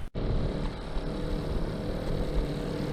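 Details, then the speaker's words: Go-Ped scooter two-stroke, unused 15+ years, at about 5% throttle doing roughly 2 mph: low, uneven putter held just off idle; beyond about 10% throttle it chokes, rider assumes it floods, cause unconfirmed. "Pretty much is idle. Maybe just like 5% throttle. If I go much over that, maybe 10%, and it starts to, I'm assuming, flood the engine."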